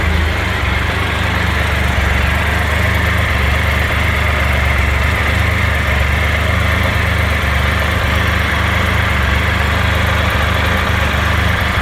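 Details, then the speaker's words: Explorer 1200 motorcycle, hot engine just after riding home: steady deep drone with busy rattly clatter over the idle; abnormal noise occurs hot or cold, source unclear. "Ó, acabei de chegar em casa, moto quente, vou ligar. Barulheiro."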